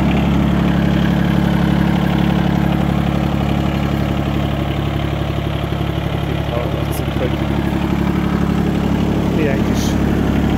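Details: Everun ERE12 mini excavator diesel engine at idle: smooth, even diesel idle, steady low beat about three pulses a second, no knocks or misses. Normal idle.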